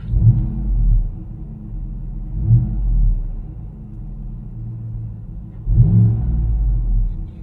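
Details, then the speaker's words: 2015-2020 Cadillac Escalade V8 after replacing the heat-damaged rusty original exhaust with an MBRP 3-inch kit: deep, smooth rumble with throttle blips, no whistle or hiss as heard before; louder than owner wanted. Normal exhaust note. "I don't hear that whistling sound. If I'm honest with you, it's a little bit louder than I would have wanted my Escalade to be, right? But it's better than it sounded before."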